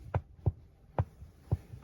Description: The driver side floor is making clicking sound when pressed on our 2020 Mercedes GLC300 SUV